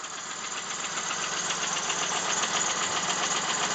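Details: 1999 Plymouth Voyager 3.0 at idle: light, fairly even tapping about four per second, first suspected rod knock or valve tap; isolated with a mechanic's stethoscope to a cracked flywheel.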